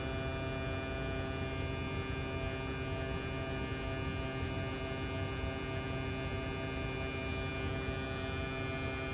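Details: Replacement AC compressor on a mid-2018 Tesla Model 3 during R134A recharge through the low side: a steady, even electric hum and whine, no knocking, rattling or grinding; running smoothly.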